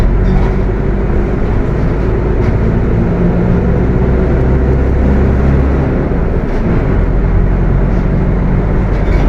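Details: Mercedes-Benz OF 1721 BTC 5 bus (Apache Vip IV body) while driving: deep, steady rumbling growl under the engine the whole run; transmission growling loudly.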